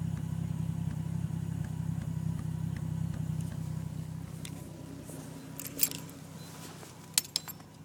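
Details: Misfire at idle on a 1990 Toyota Supra with 7M-GTE turbo engine: low stumbling, uneven thump fading out, most apparent after the key is removed while the turbo timer counts down.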